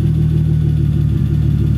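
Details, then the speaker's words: 1985 BMW E30 turbo, 2.5L M50 non-Vanos, Holset HX35, Megasquirt, after a brief rev. A low, even idle rumble with a steady beat and no misses, rising slightly as coolant temperature climbs: a normal warming idle. "yeah there you have it it runs you see as the cool on temperature comes up it idle is a little bit more"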